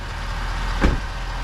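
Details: 2021 Ford F250 6.7 Powerstroke diesel after replacing both fuel filters and priming: deep even rumble with one brief thump as it settles; steady idle, no stumble, running normally.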